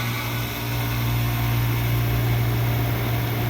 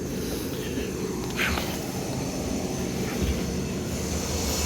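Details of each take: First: Old Carrier R22 condenser running once power reaches it, after trouble traced to a neglected, inaccessible air handler and an old mercury thermostat: steady, smooth hum with even fan rush and no clatter or buzz; normal running with a temperature difference. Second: Neglected, dirty air handler feeding an old Carrier R22 condenser. Steady low blower hum with a thin high-pitched squeal from the fan motor, which also has a wobble and is expected to fail soon.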